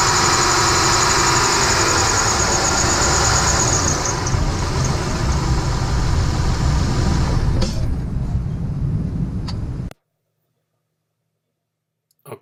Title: squeaky belt or Pulley? How to fix the alternator squeaky pulley